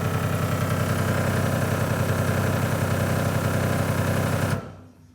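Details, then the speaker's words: Mk2 VW Scirocco converted to rear-wheel drive with a 1.8T 20v turbo engine, first start: steady fast-pulsing idle while selecting gears up to third, rear wheels spinning, with no knocking or grinding; the clutch and gearbox appear to engage normally. "so yeah that's awesome rear wheels are spinning i went up to third gear there and when i watched the clip back it got quicker each gear so i can only assume it was going into gear which is uh which is good"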